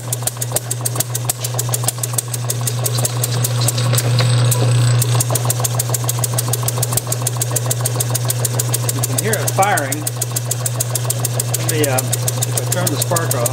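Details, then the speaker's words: Bessemer model engine spun by an electric motor on a test bench, spark timing about 5–10° BTDC with Hall sensor: steady motor drone with rapid uneven firing pops; fires but won't run alone, owner suspects too little fuel/air mixture or compression leakage. "I'm still not able to get it to run but it is firing anyway"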